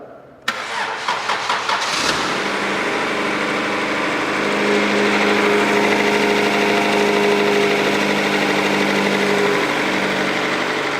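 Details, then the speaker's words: 1996 Acura Integra 1.8 L DOHC with intermittent misfire, after replacing distributor cap and rotor: cranks briefly, catches cleanly, smooth steady idle on all four cylinders, plug wires correct; normal start and idle. "okay it looks good everything is tight it's running on all four cylinders we haven't got any spark plug wires mixed up"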